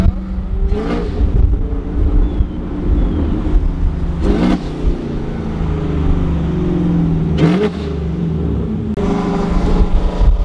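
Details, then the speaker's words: Camaro after engine leaks were fixed, revving: deep, smooth exhaust rumble that climbs cleanly with each rev, no ticking or puffing between pulses; the exhaust sounds sealed and healthy. "now having no more engine leaks I can hear it it's sounds better y'all I promised it makes a big difference with no engine leaks right now sounds so so much better"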